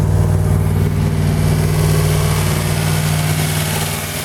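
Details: 1940 Buick straight eight on its first start in 30 years after a valve job, running with the valve cover off: a fast, steady, deep-throated idle with no dip or hunt, held too high because the idle adjustment cam rusted stuck.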